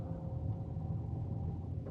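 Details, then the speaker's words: Renault Captur 1.0 TCe three-cylinder turbo running on LPG at idle: low, even, quiet murmur with no knocks, ticks or whine; normal idle. "al motore al minimo mi sembra che sia abbastanza silenziosa"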